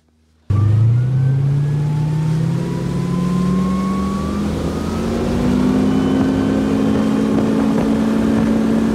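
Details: Boat with GT-40 engine after fixing three seasons of intermittent surging by resoldering a broken capacitor wire on the computer board, test drive: engine fires and its tone climbs smoothly under throttle, no hunting or surging; runs healthy.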